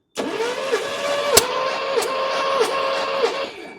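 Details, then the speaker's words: 1972 Mercedes 280SE 4.5, compression test cranking with fuel pump fuse 4 pulled: even cranking about five beats a second, no misses; 145 psi, good despite suspected poor ring oil seal. "Okay, 145. That's pretty good, considering that we have a situation where we've got, you know, probably not a good oil seal on the piston rings."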